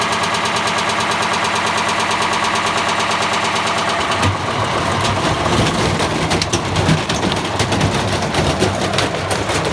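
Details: Bosch Classic 6 1200 Express washing machine hot-wired to the motor via variac, top ballast removed, objects inside: heavy rapid rhythmic drum pounding turning to chaotic banging and rattling as the tub thrashes; machine gradually tearing itself apart, cause suspected, not confirmed.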